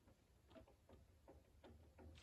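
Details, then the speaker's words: Dodge Cummins 5.9 diesel, old water pump spun by hand on the bench: dry gritty click-rasp about three times a second from a worn bearing with audible play, pump on its way out and being replaced. "hear the play. So it's on its way out."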